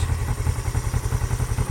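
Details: 1975 Honda CL360 Scrambler twin idling, warm after a full-speed test drive: deep, even low thumping with a steady beat and no knocks, ticks or grinding; smooth, healthy idle.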